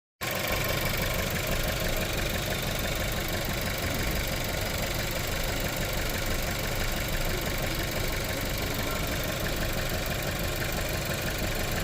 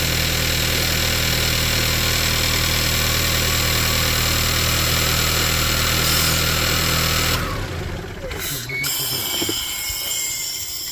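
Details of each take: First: VW Tiguan that shakes and won't build revs: uneven, shaky idle with an irregular stumbling beat, a misfire fixed by replacing the worn spark plugs; new coil also fitted. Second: VW Tiguan that misfired and wouldn't rev, after fitting new spark plugs and new ignition coil: steady, even idle with smooth low hum and no misfire stumble; engine sounds healthy.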